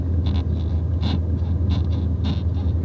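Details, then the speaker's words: Manual car with brand-new clutch, after a few hundred miles of driving: short high-pitched squeals in bursts about every half second over road rumble when stopping with firm pedal; brake squeak. "my break started to make a squeaking noise if you can hear that once i stop i'll show you"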